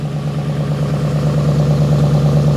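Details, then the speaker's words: V8-swapped Porsche 986 Boxster settling into a steady, deep idle after dry-bleeding the power steering. No belt squeal or pump noise. "let's try and start it again see if the belt is still slipping see if the power steering is still making horrible noises"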